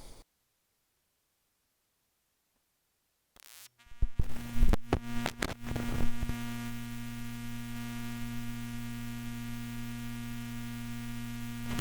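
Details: Sony WM-F15 Walkman before repair, audio fed directly into the camera: steady low hum with a throbbing undertone under playback after a few bumps; electrical hum in the output. Belt, volume pot and reverse switches were later serviced.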